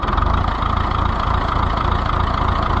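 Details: Oliver 1355 diesel tractor, first start after new fuel pump fitted: pulsing idle about four beats per second, slightly uneven; owner thinks injection timing may be close but slightly off.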